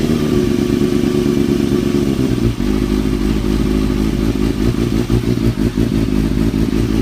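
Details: 2003-2004 Kawasaki ZX-6R 636; quick regular clatter over the engine beat following the revs; owner suspects timing gear, tensioner reset per manual changed nothing; engine ticking noise, cause unconfirmed.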